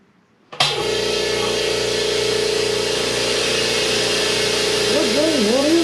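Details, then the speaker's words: New Stealth 20-gallon twin-piston air compressor during break-in run; steady even drone and hum, no knocks or rattles, much quieter than the old compressor. Normal running. "when it was on yeah you can hear nothing's gonna fall apart but that thing is a lot quieter"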